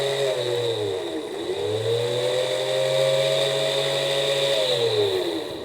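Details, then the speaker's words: Early Mercedes W220 S500 belt-driven engine fan's electric motor, powered on the bench by a 12 V booster; harsh, rough whirring that rises and falls with speed; the fan itself showed no excessive bearing noise; worn motor bearings. "have any of you heard a similar noise like that in the front of your engine well it's obvious that it's the motor bearings"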